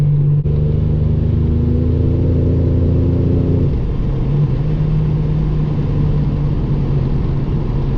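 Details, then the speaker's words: 1987 Buick Regal Turbo with Precision 6262 turbo swap, new lifters and pushrods, driving: pulls hard with low rising drone, quiet smooth turbo build-up to about 10 psi boost, nothing abnormal. "yeah she spools up fast man it's a lot this turbo's a lot quieter but when the build up happens you can you can hear it build up"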